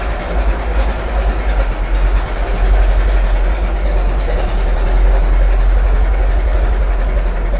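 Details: Restored 1921 American LaFrance fire engine after its finished restoration: a deep, slow, loping rumble holding steady with no knocking or clatter; the old four-cylinder idles healthily.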